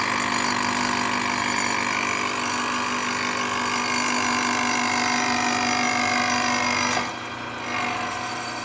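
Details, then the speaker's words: Manual lathe boring/facing a Harley-Davidson FLH belt-drive pulley with an insert at 0.009 in feed: steady, even cutting hiss with a clean tone, no chatter or squeal, stopping near the end; smooth, healthy cut. "All right, that's working well, and I think our insert's doing good too."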